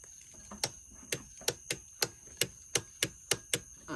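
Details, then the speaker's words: Briggs & Stratton lawnmower, key turned without cranking: crisp single starter solenoid clicks about three a second; solenoid good, while the mower separately surges and smokes. "so a quick way to test if your solenoid is still good just put your key in but don't turn it over all the way you can hear it mine"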